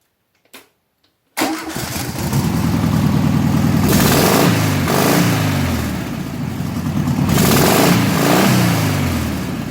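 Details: 1972 VW Classic Beetle rat trike engine with a new carburetor after the old one was ruined during cleaning for suspected clogged jets: starts on first crank, runs smoothly, rising and falling with throttle, no spitting; normal.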